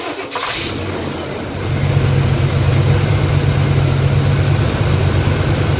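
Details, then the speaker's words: 1986 Chevy K5 Blazer with new long block after blown head gasket, oil primed and timing set: cranks, catches, settles to steady even low idle rumble with no misses or knocks; runs smoothly. "it started it I have the timing set everything's good to go start it up see how smooth it is"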